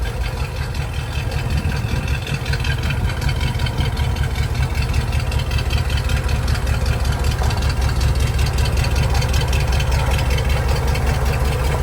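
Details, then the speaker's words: 1985 Jeep CJ7 with AMC 304, noise from the front pulley system at idle: coarse gravelly rumble; the water pump bearing is shot, and the pump is being replaced with a better used one. "Something else that we'll be needing to address immediately is I started looking into that noise that was coming from the front pulley system here, and that water pump shot, so we're gonna put a water pump on it too."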